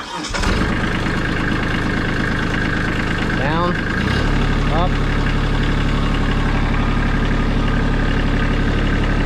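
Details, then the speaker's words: Kubota B2650 tractor with about 500 hours: diesel cranks, catches and settles into steady idle with a loose, uneven rattle over it; something is loose, noticed over winter while plowing. "All right, watch. Something is definitely loose in here."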